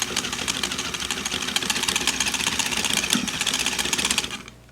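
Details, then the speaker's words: Axial SCX10 Dingo RC crawler after realigning the large driveshaft pins, which fixed the front axle chatter (the rear still chatters): a steady high buzz of motor and gears running evenly without clicking, then stopping. "So aligning the large pin on the drive shaft absolutely solves the problem. The rear is still doing it, so I'll have to adjust that one too. But as you can see, smooth as ever."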